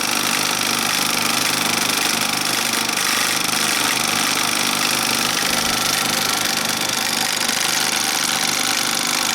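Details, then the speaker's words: Bell & Howell 2575 16mm Filmosound projector in rewind mode with resistance applied, lamp on: fast, even clatter of about three to four beats a second over a dense mechanical whir; cracked bottom drive gear. "I just don't like, you know, using equipment that I know is faulty. It bothers me. So, and knowing that bottom gear can let go at any time, it really drives me nuts."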